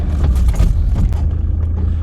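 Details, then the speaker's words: Car on a test drive after DIY replacement of brake discs and pads: only low tyre and engine rumble as it rolls and slows, with no squeal or scraping from the brakes; they sound healthy and it stops. "Well, there's no squealing. And we're stopping."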